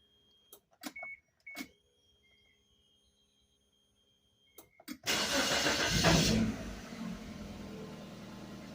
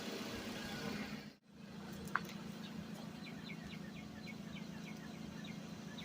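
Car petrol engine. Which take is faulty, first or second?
first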